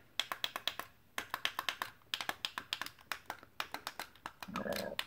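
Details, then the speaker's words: Mr. Coffee automatic coffee maker after fixing a sticky switch by tucking the plastic steam shield back around the circuit board: crisp, clean clicks in quick groups, each button snapping back freely; previously stuck button now works, all operational. "the buttons are operational"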